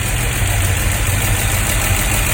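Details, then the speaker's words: Dodge 360 LA V8, idling after running a while following cam break-in, with a light quick ticking over the low rumble; it ate a camshaft (wiped lobe), and four on one side were found loose off the rocker shaft; owner believes break-in error. "So in this clip here, the engine's already been running for a while. It broke in just before I decided to take the engine right back out. You can hear the ticking, and yeah, there it is."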